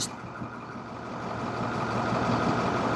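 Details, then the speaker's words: 2014 International MaxxForce diesel that won't exceed 20 mph, with the check-engine light on and fault codes stored, heard at the front of the engine. Uneven, loping idle as if one cylinder drops out: misfire at idle. Injector test planned next. "pueden ver escucha la falla que tiene el motor ya escucharon la falla del motor verdad"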